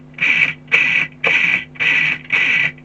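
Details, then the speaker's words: Tamiya Super Champ RC car with the motors just installed and the gear mesh reset, drivetrain spun by hand. Short, even whirring bursts about twice a second; the mesh is smooth, only slightly notchy or a bit coggy, and feels alright. "Alright, got the motors in. I've got the mesh right this time now, so I'll just spin the."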